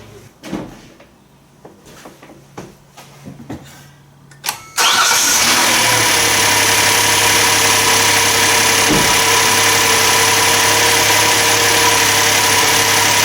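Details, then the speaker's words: Hyundai/Kia 3.3L V6, first start after a spark plug change with the intake surge tank refitted: brief crank, catches at once and settles to a steady, even idle; smooth and revved cleanly to 3,000 rpm. "Fired right up, that's good. Alrighty. Seems smooth, revved right up to 3 grand, no problem."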